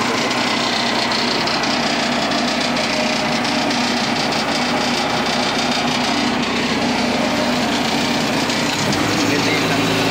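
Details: Cable reel machine engine with a hard-starting problem (starter would not turn it on the old battery even after jump-starting and a starter swap): after the battery was changed it starts and runs steadily at even speed with no stumbling or knock.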